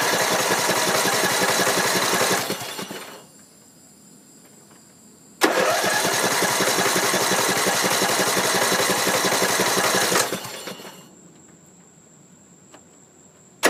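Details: Troy-Bilt Pony 42" riding mower, Briggs & Stratton 17.5 hp I/C, battery freshly charged, sitting on seat-switch seat: starter cranks at about four even pulses a second over two tries but never fires; owner unsure whether fuel or spark is missing.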